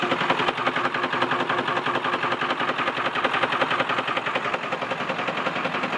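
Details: 2002 Ford F-450 with 7.3 Powerstroke diesel: sharp, rapid, evenly spaced clatter near three knocks a second with little low rumble; owner suspects a bad injector, not confirmed.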